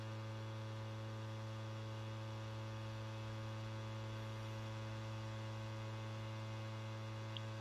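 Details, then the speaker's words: PlayStation 5 copying Crash Bandicoot 4 data from disc to SSD: steady low buzzing drone with firm hum; noise not the Blu-ray drive or disc but a loose side panel vibrating. "i figured out that this is not actually the blu-ray drive or the disc creating the noise it is actually one of the side panels which is vibrating"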